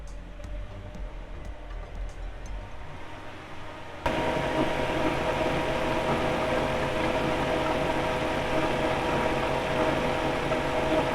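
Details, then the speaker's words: Car AC extra electric cooling fan, previously squeaking from rust in the bushing, reinstalled after greasing the bushing: quiet tick then a steady even rush with no squeak or rub; fan running normally. "Nah, setelah dipasang tadi setelah dia dikasih gemuk dan bunyinya hilang."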